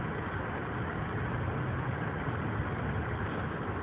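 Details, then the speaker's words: 2014 Subaru Forester with CVT, about 2150 miles, 19–21°F outside, engine now warm: a low, steady, even hum at a normal 650–700 rpm idle, with no knocks or surges. "You can see the motor RPM now is 650, 700, as it should be on a warm motor."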